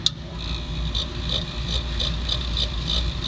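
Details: Harbor Freight rotary rock tumbler after new belt fitted and motor pulley moved to align it: high chirp repeating about three times a second over a low motor rumble; the loose drive belt slips on the pulley, to be tightened by sliding the motor.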